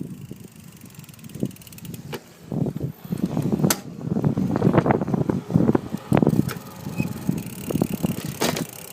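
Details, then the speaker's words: iGO Urban electric bike, 250 W mid-drive motor, riding over a speed bump; loose removable plastic battery housing on the frame clatters and knocks over the drive hum, plus chain banging and shifting issues under hard pedaling; battery housing rattle and chain noise. "I don't know if you can hear that but the Box in the back when I went over the speed bump you could hear it kind of bumping around that was the noise I was talking about"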